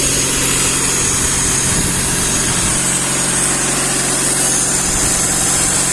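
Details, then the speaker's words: Lada classic 1.5 with rebuilt Solex 21083 carburettor, frosty cold start in neutral on choke, mixture richened after a lean stall: even, steady idle at slightly raised warm-up speed, no stumbling; normal warm-up. "запускаємо ще раз додав суміші і трішки пускове залишив нехай гріється машина"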